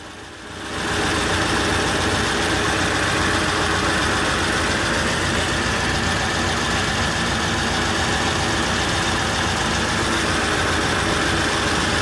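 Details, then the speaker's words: Rover P6 V8 idling after starting despite dodgy starter wiring, oil and water checked: steady, even, unchanging idle beat, no knocks or misses; owner notices a smell; healthy idle. "See? Here we are, she's just ticking over. I'm just going to leave it running here for a few minutes."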